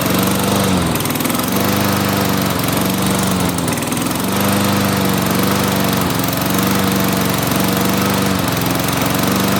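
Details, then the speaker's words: Toro mower with a Tecumseh 6.5 hp engine that wouldn't start after winter storage, now running on the customer's fuel after a carburettor cleaning: a steady, even speed with no surging or sputtering; it runs healthy. "in the part two we're gonna be starting it and showing you guys it works"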